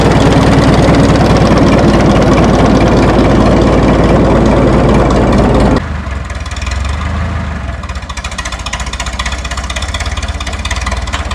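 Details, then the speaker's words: 1952 Minneapolis Moline G tractor gasoline engine, sat in barn 10 years, float possibly stuck: loud even chuffing settles to quieter steady beat about three pulses a second after starting easily; idles smoothly. "I cannot believe it started that easy."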